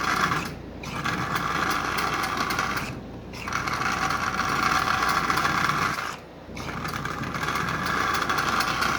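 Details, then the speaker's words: Marx 1666 toy train locomotive motor, likely not run in decades, running forward and backward with a clacker: buzzy whirring with short stops and a rough, dry edge; motor fine, but bearings bone-dry and need lubrication. "that's better alright so there's absolutely no problem with the motor I can tell that right now it needs to be lubricated and it needs to be run no doubt about that that's better so all the bearings are absolutely bone-dry in this"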